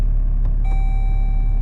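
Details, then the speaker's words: Jeep with the engine running, shifter in drive, driver trying to switch off. A single steady high chime holds over the low engine rumble: the not-in-park warning. "says no and it beats at me he even says on their vehicle not in park all right which is fair enough"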